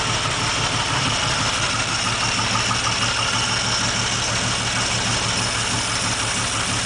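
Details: 1947 Dodge flathead engine, pre-rebuild, running just above idle: loose, fairly regular knock about three times a second over the hum; smooth at idle, owner suspects rod knock, not confirmed.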